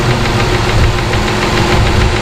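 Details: Chrysler 300 idling after a misfire fix and spark plug replacement: quick, steady light ticking over the low rumble from the valve train. Owner is unsure whether it is a lifter; he has heard it may relate to a dowel in the oiling system.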